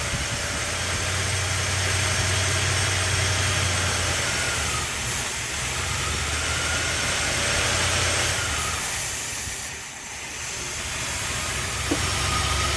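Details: 1976 Chrysler Newport after about 8 years sitting, on a replacement battery, with fuel just starting to come through the line: low, steady idle with a soft hiss over it and no misses or knocks; normal idle.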